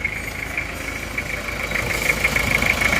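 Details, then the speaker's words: Toyota Kijang diesel 2L after rebuild for oil burning from 2 mm ring gap, new liners, idling after 3 km driving, still breaking in: steady even crisp clatter, regular rhythm, no odd knocks, healthy. "ini bunyinya seperti ini teman-teman ini masih akan kita rayon karena ini linernya baru Saya rasa untuk suara sudah bagus sekali renyah dan halus rata"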